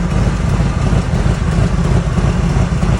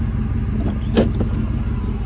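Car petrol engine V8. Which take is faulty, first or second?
first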